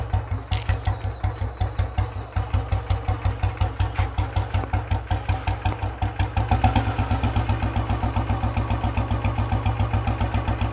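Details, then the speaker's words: Fully restored 1976 Royal Enfield Bullet single, started with decompressor: even deep thumping beat at steady idle, no misses or knocks; at normal running only the bass thump is heard, normal idle. "நார்மலாக run பண்ணும்போது ஒரு அந்த base, அந்த thumb மட்டும்தான் கேட்கும்."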